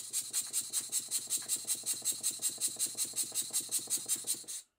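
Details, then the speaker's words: Model steam engine while the eccentric sheave timing is adjusted by rotating the flywheel, engine on Scotch-Brite off the soundboard: quiet, hissy beats about 2.5 per second, slightly uneven; eccentric timing still slightly off. "so i'm just rotating the flywheel to adjust the timing and it's getting better"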